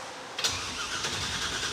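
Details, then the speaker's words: Roadkill project car after replacing a starter that stayed engaged with the flywheel, now fitted with a starter for a 97 Camaro: sharp engagement then steady, even cranking whir with no grinding or clicking; normal starter cranking. "nice the starter works any gas yet do we know that there's any gas in the car"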